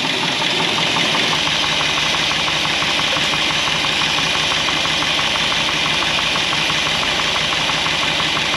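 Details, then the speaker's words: 1964 Buick Electra 225 that was in a fire, first start after rescue with a holed, charred exhaust: light, uneven tapping of about three a second at idle despite strong oil pressure; owner suspects something loosened by the heat. "well we've definitely got some noise although we have really good oil pressure everything seemed to be okay there is just a a little bit of a tapy tap somebody knocking on the door there"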